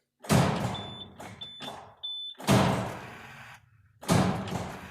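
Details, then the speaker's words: Cummins ISM truck engine, declared bad after turbo replacement, in neutral with batteries near 9.75 V: key turned three times, one heavy clunk each, no cranking. "Well, wasn't exactly what I was hoping for. Sounds like the starter's not turning, so next we need to find out if it's the starter not turning or if it's what I really think it is."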